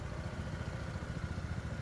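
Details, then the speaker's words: Honda PCX160 scooter at 27,000 km idling after CVT rework and a new genuine belt, fixing earlier belt-slap noise and knocking on and off throttle: soft, even low putter with no grinding or flapping. Quiet CVT at idle. "PCX160นะครับที่ผมเจอสูตรสูตรใหม่เลยคันนี้คันแรกที่ผมลองคิดค้นดูแล้วปรากฏมันเงียบจริงๆนะฮะเงียบอย่างี้เลย"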